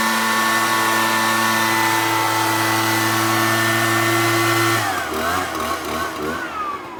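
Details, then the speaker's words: Echo backpack blower after a no-start repair (replacement Amazon carburetor, fuel flushed): a clean, steady high two-stroke drone holds pitch, then falls away smoothly as throttle drops; runs fine. "we put it all in and it seems to be working perfectly fine now so I think that would be the solution to this one and we're going to fire it up and see how she runs"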